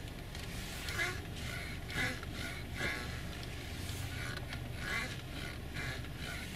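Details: Honda CR-V parked, steering wheel turned slowly: faint, quiet rubbery squeaks about once a second; owner suspects sand and dust from the seaside in the steering, not confirmed.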